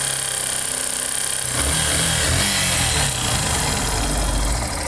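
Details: Factor 150 motorcycle engine noise: a steady idle with a quick rhythmic tapping about four a second that grows louder as revs rise; cause unclear.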